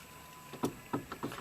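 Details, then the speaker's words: 1997 Hyundai Accent raised, shaking above 50-55 mph: dull clunks about six in 1.5 seconds as wheel is rocked by hand; shocks fine, loose worn outer tie rod end, replacement needed. "yeah, as a matter of fact, it's not the top. It's not this right here. The reason why it's moving is because the tie rod end is loose."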